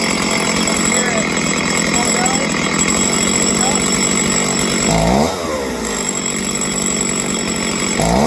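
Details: Stihl two-stroke chainsaw after carb tuning for a low-end idle fault: buzzes steadily at idle, blips up and settles back cleanly; idles and revs normally.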